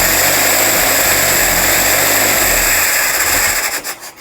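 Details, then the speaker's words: Rebuilt Jeep CJ5 engine on its first start, running on starter fluid with the fuel filter and lines still dry; loud steady roar for a few seconds, then winds down as it dies; runs cleanly. "Okay, that's awesome though. It runs, it sounds great."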